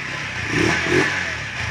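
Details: Euro 186cc motorcycle, 63mm piston, kick-started in neutral: single fires and revs up cleanly, then eases back without stumbling; starts easily when air mixture is tuned correctly.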